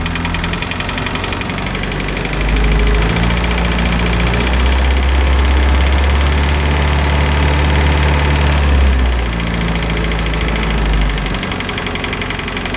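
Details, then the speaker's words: Isuzu 4BD2T diesel in a Spryte snowcat with a new head, warm with the thermostat open around 170: steady, even clatter at about four beats per second with no misses or knocks, a normal idle; no coolant bubbles. "so at idle it sounds normal the higher rpms are just noisy on these little motors"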